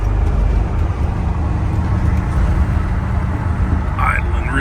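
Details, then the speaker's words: Cold start on a Vanagon with stock 2.1L boxer engine: deep, uneven low rumble at idle that lurches and shudders, whole van shaking; knocks and bangs first few minutes, runs okay once warm; cause unknown. "rough doesn't want to go it's shuttering not quite sure what the problem is"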